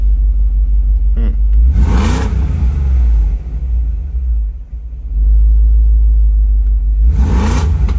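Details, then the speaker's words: BMW E53 X5 4.6is (M62TU V8) just after timing chain tensioner replacement: deep, heavy rumble swelling hard with each throttle blip, much louder and rowdier than before; cause not identified. "so for some reason this thing sounds real different and very aggressive [Music] [Music] it did not sound like this before"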